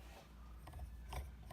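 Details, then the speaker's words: Evolve ONE electric skateboard motor, failed after a couple of months of riding, turned by hand with the belt off: uneven ratchety clicks and gritty drag instead of a smooth spin; rough grinding motor rotation, motor being replaced. "doesn't turn very smoothly at all nothing is on the belt I even took our cover off checked everything"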